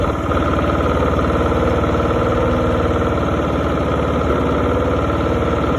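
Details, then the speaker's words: $50 John Deere mower after its blown motor was replaced, revved with headlights on to check charging: steady, even single-cylinder beat with no knocks or misses; lights got brighter, so it's charging; healthy engine. "How you check if it's charging? You turn your headlight switch to the on position, and then you rev your motor up and down, and it tells you if you're charging or whatever."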